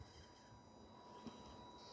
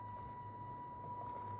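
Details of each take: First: FMS Atlas 4x4 RC crawler, fully stock with 1040 ESC, driven on light throttle; faint steady high-pitched motor whine from non-adjustable pulse width modulation; normal ESC PWM whine. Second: FMS Atlas 1/10 scale 4x4 RC crawler, 100% stock with 1040 ESC, on trail: thin steady high motor whine at fixed pitch over soft hum, pulse width modulation noise from the stock speed controller.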